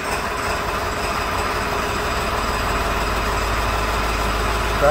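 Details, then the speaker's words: 2002 Ford 7.3 Power Stroke after cam sensor replacement, right-bank injector codes P1316/P1291 and IDM fault; lumpy rough idle, sounds like running on half the cylinders, one bank dropping out. Used IDM suspected defective. "let's clear the codes sounds like it's running on half the cylinders"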